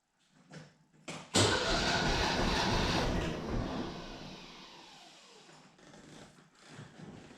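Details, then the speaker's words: Mercedes W115, hot compression test, cylinder three cranking (lowest cylinder when cold): even, steady starter churn with no stumbles; reads about 9.6 bar, consistent with it being lowest before; normal cranking compression. "10.6 sorry 9.6 roughly 535-ish maybe a little bit more so again that would make sense because it was the lowest before"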